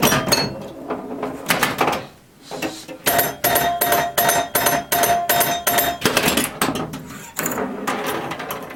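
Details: Restored 1977 Williams Hot Tip solid-state pinball machine: sharp irregular solenoid clacks and bright chime notes ring cleanly through play with a steady tone sequence; owner felt a startup melody note was off; normal pinball gameplay.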